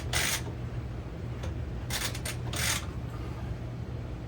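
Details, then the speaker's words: 1980 Honda Express NC50 scooter after starter spring replacement and a new gasket: sharp ratcheting clicks as the kick-start pedal is pushed and springs back up, showing the kick-start mechanism winds and returns normally. "Get this stood back up to about level here and give it a test. Foot pedal, and it's coming back up."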